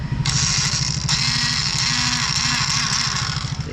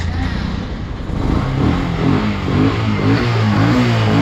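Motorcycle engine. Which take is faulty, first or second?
first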